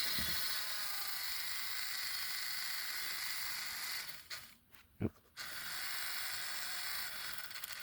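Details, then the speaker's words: Pennsylvania Railroad doodlebug model (Spectrum) before its DCC install, wheels being cleaned with a Bright Boy while moving. A fast, thin machine-gun rattle over a high whir suggests gear chatter in the drive. The owner fears the gear could slip. "I don't particularly hate it as much as others, but I still don't like it because it could cause the gear to slip, which would have me reopen the entire drive. Just get that ready. Oh yeah, now you can definitely hear the machine gun"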